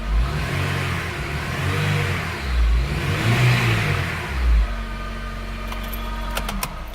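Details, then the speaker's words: Honda Integra DC5 base / Acura RSX revved in neutral: a thin whine over the exhaust that climbs and falls with RPM, still present after swapping the alternator; traced to a failing A/C compressor bearing. "so I just want to explain the wine is actually it's related to the RPM so as I rub it higher it goes with the RPMs"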